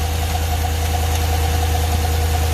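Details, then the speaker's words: V8 with about 230,000 miles, AFM/DOD lifters, no DOD delete, idling roughly with a deep uneven rumble, misfire and a fast intermittent tick plus clunking; internal damage suspected, not confirmed. "it's misfiring like you wouldn't believe um all right so you can hear it Miss oh well you know what it's ticking really"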